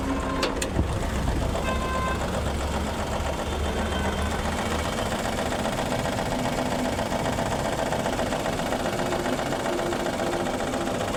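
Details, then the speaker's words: Maruti Suzuki WagonR K-series with blinking check engine light and oil consumption: rough lumpy idle with heavy engine shaking through mounts; one cylinder not working, dead-cylinder misfire; possible overheating suspected. "तो दोस्तों यहां देख सकते हैं गाड़ी का engine भी vibration कर रहा है बहुत [संगीत] ही बहुत ही बुरी तरीके से और इसका जो इंजन माउंटिंग है ये जो साउंड है इसकी वजह से आ रहा है"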